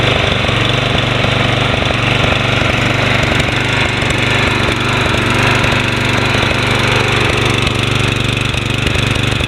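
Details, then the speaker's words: Toro Personal Pace 20333 Spin Stop mower, 190cc Briggs & Stratton, sold as non-running, started after cleanup, blade engaged: steady, even single-cylinder beat, no misses, surging or knocks; running properly, carburetor leak still watched. "Engage the blade here. Sounds good. Very nice Toro."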